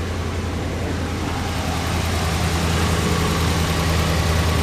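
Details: Ram 1500 V8 at cold idle right after repairing warped cast-iron exhaust manifolds and a broken bolt with new gaskets and ARP studs: steady, even low rumble with no ticking or puffing; exhaust leak fixed.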